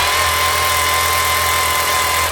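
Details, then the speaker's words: 2016 Makita DHR202 cordless brushed SDS drill losing power: thin, strained high motor whine holding about two seconds then cutting out; armature burnt out, needs full strip, new armature and brushes, field and holder to be checked. "you can hear that motor struggling to run so this it's going to need a full strip change the Armature on it"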